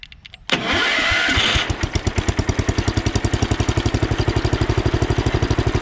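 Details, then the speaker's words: Sears Custom 7 garden tractor (about 1968–70) single-cylinder, started at slight throttle. A rough, grinding whir from the worn starter lasts about a second, then the engine settles into a smooth, even beat. Some pulley bearings are a little noisy. "It's probably gonna be a little noisy here. The starter sounds pretty bad, so."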